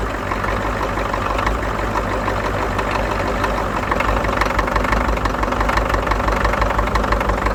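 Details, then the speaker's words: Ford 6.9/7.3 IDI diesel idling cold at about 10°F while bleeding air from the fuel system: rough, uneven knock about twice a second; air in fuel being purged via the Schrader valve. "You hear it knocking. Let it kind of pump up."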